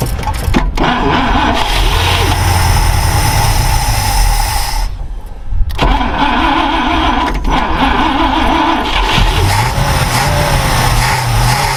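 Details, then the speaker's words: Ford Falcon Ranchero ("FalconStein") being revived: engine catches and idles unevenly, speed sagging and surging near stalling; owner suspects a stuck carburetor float, carb known to have issues and to have spewed fuel/fire; new fuel pump working; carb kit rebuild planned. "So before it gets to that point, I'm going to see if I can't fix that. I'm sure that float's just stuck, but I can't imagine why."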